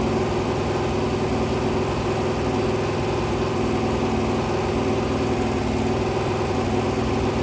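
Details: Rebuilt 426 Hemi crate V8 on a run stand during cam break-in at 2400-2500 rpm, 32° timing, about 150°, with some oil drips: a steady, even fast idle with a smooth unbroken note and no knocks or misses. Sounds healthy.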